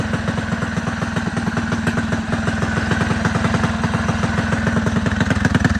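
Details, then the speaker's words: Rebuilt Predator 224 single-cylinder engine, new piston, rings and rod bearings, aluminium flywheel with advanced timing key, ported PWK carb; first start after priming: even, quick fast-idle putter, steady clean firing, no misses or knocks, runs normally. "All right, I got it started after a little bit of mishap, so let's see."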